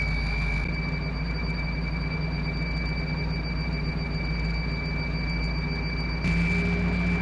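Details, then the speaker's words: 1955 Willys wagon idling after carburetor work, running better: a thin, high-pitched whine stays level over the low rumble. Whine at idle; owner suspects a vacuum leak, unconfirmed. "Well, it's running a lot better, but I'm not sure what that noise is. Oh, we got a vacuum leaf or something."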